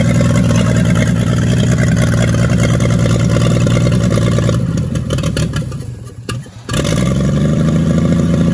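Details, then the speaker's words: 1942 Chevrolet G506 truck engine, first run after revival on a 12-volt battery with the distributor adjusted. It sits on a high choke idle that can't be lowered, and the mixture screw has no effect. Revs up, drops and settles back with no knocking. Sounds good and healthy. "not bad at all at least she's uh sitting here idling doesn't want to without the choke and i can't bring the idle down at all"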